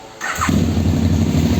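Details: KTM Super Duke 990 LC8 V-twin after new clutch discs and springs (old discs contaminated by coolant from a failed water pump seal): short crank, then a steady, even low idle with no misses or rattles.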